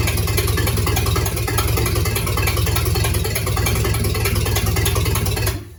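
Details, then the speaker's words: Rebuilt 1953 Dodge flathead bored to 237 ci, first start-up: steady, even low idle at about 43 psi oil pressure, no ticking or knocking, then clean shutdown; engine healthy. "We're sitting at about 43 pounds pressure, and there's not a noise. There's nothing ticking, no knocking, nothing at all."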